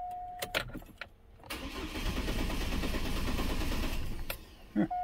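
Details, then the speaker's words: 2004 Chevy Colorado 3.5 L, towed in, died while driving: cranks about four beats a second for a few seconds, never catches; almost no fuel pressure. Owner suspects bad fuel pump, possibly regulator. "I got a funny feeling it's a bad pump because it's not building up anything but I mean it could be a bad regulator too it's just strange I got just about absolutely nothing"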